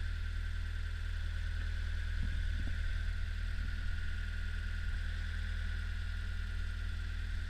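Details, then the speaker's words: Old Hitachi UH043 excavator diesel after 16 years abandoned in woods, first start: smooth, even low idle holding steady with a few brief knocks; engine runs healthy. "Well, she's a runner."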